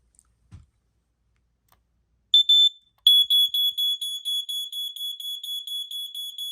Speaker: so I'll do a quick test of the smoke which you can hear chirping